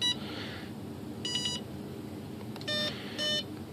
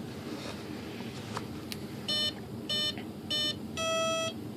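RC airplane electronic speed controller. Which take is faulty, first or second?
first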